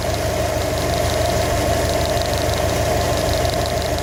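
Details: 2015 Subaru WRX STI at steady idle: a light, fairly regular tapping at about three per second over the engine note; engine knock of unknown origin.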